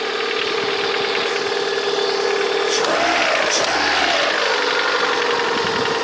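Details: Engine 21126 idling with a light, fairly quick tapping knock of about four per second over a steady hum, clearest toward the end; the source of the knock is unknown.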